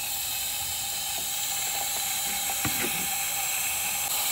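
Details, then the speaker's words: 2005 Ford Super Duty 6.0L diesel, hot no-start with low ICP, high pressure oil system pressurized with shop air about 90–120 psi, engine off: steady thin hiss with faint clicks; air leaking at the high pressure pump fitting. "you put air to the system turn it on and you can hear hear that air leaking when this thing is all assembled you can hear air leaking but you don't know where it's coming from 90 of the time it's back here on this uh high pressure pump fitting"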